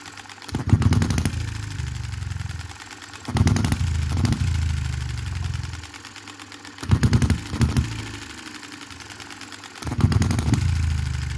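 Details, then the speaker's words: 2022 Enjomor Chinese hit-and-miss engine after valve timing correction and a spring added to the governor latch: quick bursts of firing pops every three seconds or so, with quiet coasting between; even governor cycling, healthy running. "so i'm absolutely pumped about that as you can imagine it's running cool"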